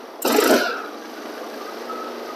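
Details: Flood-damaged Honda HRX lawn mower after cleaning and a shot of carburetor cleaner, blades off: a short burst as it catches, then a light, steady run with no misses or sputter; it starts and runs cleanly.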